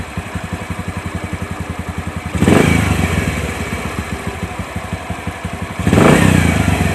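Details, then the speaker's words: Bajaj CT 100 making a scraping noise when running, heard idling before teardown: a steady thump at about four beats a second with a dry clatter that persists through two revs, with a clutch-pull test next. Suspected worn 6003 stator bearing. "Pero para sa akin, may problema nito, yung bearing ng stator, yung 6003. Okay? Paandarin natin mga pre para marinig yung ingay."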